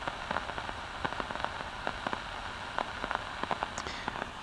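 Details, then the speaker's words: LM1875 amplifier chip running at open-loop (extremely high) gain: faint random crackles and pops over a quiet hiss at irregular timing. Burst (popcorn) noise from a defective IC. "now can you hear that crackling noise that's called burst noise or popcorn noise it's coming from this circuit here it's just an lm1 1875 amplifier"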